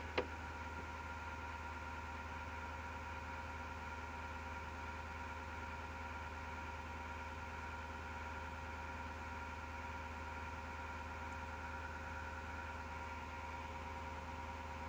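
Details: Desktop PC heard from left side of case: PSU fan drones with steady low roar and faint grinding whir under steady tones, starting on its own after rattling or clicking as it slows; PSU fan grinding suspected.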